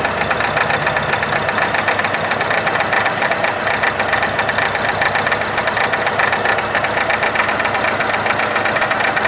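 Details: 2000 Saturn SL2 after replacing plug wires and the #1 spark plug: idle has an uneven, stumbling beat, hissy in the upper range, and dies when put in gear; misfire at idle, cause unconfirmed, owner considering remaining plugs and coil packs.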